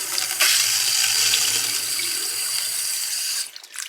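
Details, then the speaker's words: Well water supply line (200-ft well, underground pump ~20 gal/min, feeds heater) with air getting in: choppy, sputtering hiss and spitting at the tap instead of smooth flow; air in the water line, owner suspected a leak under the house. "But see, air gets in the line. Not doing it so much now, but I mean it'll really spit at you, boy."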